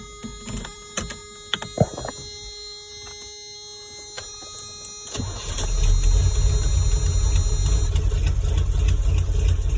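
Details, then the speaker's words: 1989 Toyota with V8 swap, start with new exhaust fitted: catches after a short crank into a rumbling idle with a sharp, regular ticking from a header leak, 50 psi oil pressure at idle. "my electric fan but i got a header leak too just have 50 pounds out of idle"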